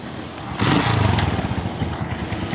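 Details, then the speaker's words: 2017 Honda CG125 after general tuning (genuine air filter, new plug, breather cleaned, O-rings, silencer), previously missing and making engine noises: starts on first kick and settles to an even, quiet single-cylinder putter with no knocks. Healthy. "ठीक है भाइयों, first kick पे start हो रही है। Sound सुन सकते हैं आप, बिल्कुल चुप खड़ा हुआ इंजन।"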